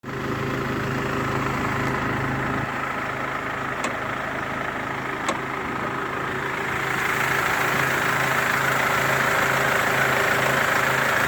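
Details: Mercedes W204 diesel at idle with a leaking injector: a light, quick ticking (strong clattering) and a whistling hiss in that area, with burnt-on diesel residue around the leaking injector.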